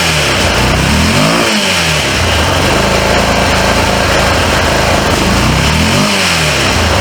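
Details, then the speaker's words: 2005 Honda Rincon TRX650FA ATV, abandoned for reported carburetor issues, running off a booster pack because of a weak battery: crisp revs rise and fall cleanly twice with no knocks or misses; the engine sounds healthy. "no knocking sounds or anything that thing is fire"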